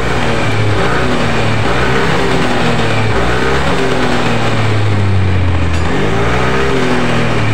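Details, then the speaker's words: Yamaha NMAX with worn final-drive gears, after reassembling CVT, gearbox, exhaust and rear wheel: revs up and settles smoothly with only engine and belt drone, no more rear gear whine. "Dan ini kita tes hidup dan suaranya juga sudah lumayan halus Ya sudah tidak ada bunyi nguing lagi di bagian belakang atau di bagian gigi gearboxnya"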